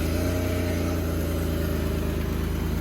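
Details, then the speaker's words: Warm petrol engine, about 79 degrees, idling with a low, uneven throb. Running rough and lean from a vacuum leak with the bolt pulled from the PCV valve. Temperature climbed five degrees in about 30 seconds. "see how differently it ran straight away as soon as you pulled that out see how differently it ran listen to it all right what's that at so that's a 79 degrees so lucky i didn't just send it because obviously vacuum leak causes it to run lean"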